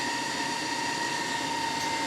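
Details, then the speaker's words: Solar inverter freshly unpacked and powered up, microphone moved close to the fan: steady, piercing high whine holding one pitch with no rhythm, the cooling fan screaming far louder than normal. "That thing is obnoxious. Here, I'll get you a little closer. Right there's the fan and listen to that thing. That's horrible."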